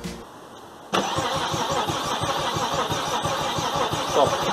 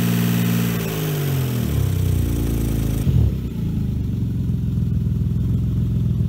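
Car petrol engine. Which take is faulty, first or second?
first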